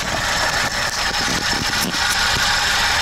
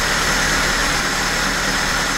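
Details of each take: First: VAZ 2104 carbureted engine, brought in for high idle, hard starting and a deep stumble. After carburetor checks and strobe ignition-timing adjustment with the vacuum advance hose disconnected, it holds a steady, even idle with a mild patter, no misses or knocks. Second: VAZ 2104 carbureted, complaint of high idle, hard starting and deep stumble, checked with a motor tester before adjustment: steady even hum sitting noticeably above normal idle and not settling; idle speed set too high.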